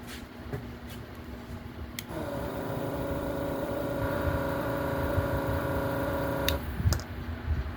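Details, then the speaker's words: Yihua 948 desoldering vacuum station pump runs with a steady low hum and faint buzz but pulls almost no suction; the compressor barely sucks any solder. "Just listen to that. That's not sucking anything. That compressor is not doing anything."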